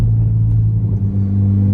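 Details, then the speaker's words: 2006 Saturn Vue 2.2L inline-four cruising at about 40–45 mph: steady low droning hum under the road noise from a worn left front wheel bearing, louder as the body rolls in turns. "hopefully you can hear as we get up to about 40 45 here you can hear that wheel bearing coming into play in the left front"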